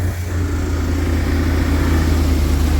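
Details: 2016 Isuzu NPR box truck diesel, first start after starter replacement: catches and settles into a steady, even low rumble with no grinding or clatter; healthy start and idle.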